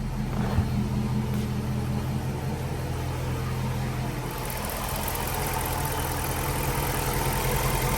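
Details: 2006-10 Dodge Charger 5.7 Hemi warm after idling with the thermostat open, following water pump, timing cover gasket and radiator replacement: a smooth, even low rumble with no ticks or knocks, and no leaks. Normal warm idle.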